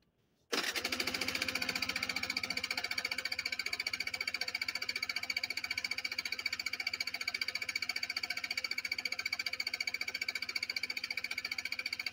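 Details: Motorbike that won't start: fast, steady chattering beat of about a couple of pulses a second as the engine turns over and never catches; crank, no start.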